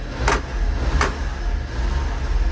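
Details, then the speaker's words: 1994 Honda Acty HA4 kei truck engine at full throttle runs weak, low and uneven, sagging and nearly stalling; ignition key cylinder not springing back fully cuts power (blower motor also dies), fixed by slight pressure on key toward off. "so my foot is pegged but you can hear that it's dying it really does not want to run right now and in fact it's basically dying"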